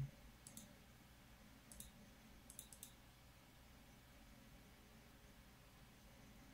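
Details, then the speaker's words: PC running Counter-Strike with Radeon HD 4870 graphics card; quiet hum with irregular bursts of scratchy clicking from the hard disk seeking hard under load. "Ouh, le disque dur, on l'entend gratter, je sais pas si vous l'entendez gratter."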